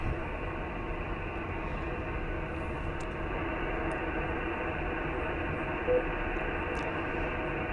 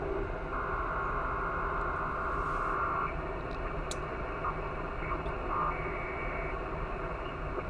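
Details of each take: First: quiet as a little quiet as a Little Lamb Second: Switch Mode Power Supply Noise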